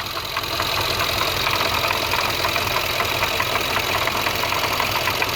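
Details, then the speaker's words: Supercharged V8 in a Jaguar XFR idling with a fast, busy clatter heard at the Eaton supercharger snout, mistaken for engine knock; a failed supercharger coupler rattling as it spins. "The noise isn't actually inside the engine at all. Now if we pull the cover off and listen closely, that noise is coming from right in here."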